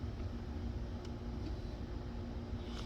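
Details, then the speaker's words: VW Passat wagon (2006/2007) with intermittent no-start after stalling: fuel pump runs loudly during cranking at near 100% duty cycle, but sensor voltage never changes; steady low hum with faint constant tone; pump later proven weak. "Right, so you can hear the fuel pump going, but our voltage is exactly the same."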